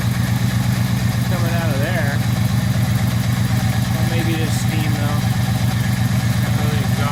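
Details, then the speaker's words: 1978 Scirocco with swapped 24v 2.8 VR6, first run: steady run with quick even puffing tick about four a second; suspected exhaust leak. "I don't know it sounded okay kind of exhaust leak noisy miler something going on over here"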